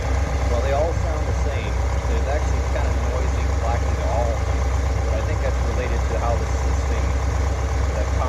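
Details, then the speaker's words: Fuel-injected Corvette V8 at idle, modified valve cover, one pushrod sitting deeper: light rapid clacking about three a second over even idle; valve train ticking suspected from one rocker out of lash, to be adjusted, possible internal damage. "we'll fire it up and see if we can hear some some clicking coming from one or the other one"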